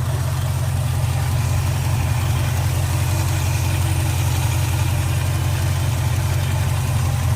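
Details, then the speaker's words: Car started after about three months sitting in snow, warmed up, heard from outside: steady even low rumble with no misses, knocks or ticks; normal warm idle, though a fuel line leak at the fuel pump was found afterward. "I don't know how good you can hear it, but you should be able to hear it running pretty good. How quiet it is."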